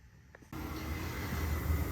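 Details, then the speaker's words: Residential gas boiler fired by jumpering thermostat RH to W1 for an annual service test, washing machine running nearby: soft click, then the burner lights into a smooth low rumble that settles and holds steady; firing normally. "right, the boiler is on."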